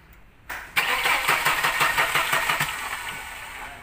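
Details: Mercedes-Benz Elegance that won't start: starter turns the engine in even pulses about three a second for two seconds, then dies away without ever catching; crank no-start.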